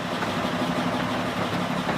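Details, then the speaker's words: Sailboat engine idling steadily and evenly, restarted after bleeding air from the fuel system; sounds better now, normal idle. "Still got to get all the air out of the system. All right. That sounded better. It sounds better."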